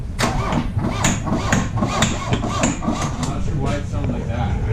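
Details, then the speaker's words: 1982 VW Rabbit 1.6 L diesel, sat over three years with three-year-old diesel in lines: uneven clatter with irregular sharp knocks, runs only on starting fluid and won't settle to idle; suspected fuel solenoid, pump timing, wiring or stale fuel. "okay she's running on only QuickStart and that's banging yeah the smoke smells like smoke but is the exhaust yeah you want to give her another go"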